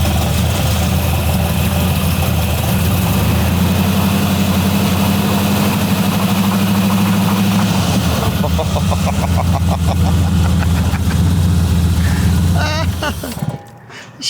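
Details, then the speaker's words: 1970 Dodge Charger pro-street V8 idling with a low, uneven knock under the exhaust beat, then rattling when revved; a header rattle was heard at first. Knock cause unknown. "a beaut clark at first i heard a header rattling i'm like it's not knocking and then i revved the window wanted to self-eject"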